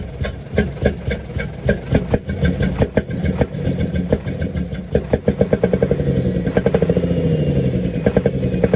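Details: UD Nissan PKD 411 truck, NE6 six-cylinder diesel cranks, starts and settles to fast idle with sharp regular chuk-chuk chuffs from the intake side; intake valve found leaking.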